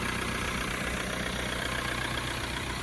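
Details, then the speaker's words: Diesel engine after head-gasket repair, warm after a long hard drive: steady, even idle with a smooth low rumble; some blow-by but the previous knocking is gone and the cooling system shows no pressure. "Well, she's got some blow by, but she's not knocking anymore."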